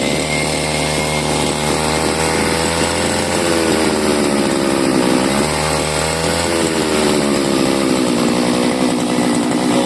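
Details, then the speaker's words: CG411 two-stroke grass cutter that used to die when throttled, after the carburettor was replaced for a suspected worn needle and seat: it revs up and down cleanly without stalling, steady at each throttle level, running normally. "okay y umaandar na so anuhin natin accelerator yan yan lakas na ng ikot"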